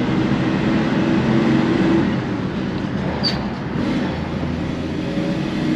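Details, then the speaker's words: Car driven on the road, accelerating through second and third gear: engine and road drone build with no clunk or flare between shifts, very smooth gear changes. Brakes squeak slightly. "passage en seconde, et encore une fois, hein, c'est très doux."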